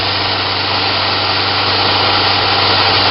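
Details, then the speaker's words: Newly built 2x72 belt grinder at top speed setting 10, sitting on a bare metal table with no rubber feet: steady high-speed whir with a buzzing hum from slight vibration resonating through the table, which rubber would eliminate. "That sound is just the little bit of vibration back here. There's yeah, it's just this is on a metal table. If I had it on like a little piece of rubber, you wouldn't hear that at all."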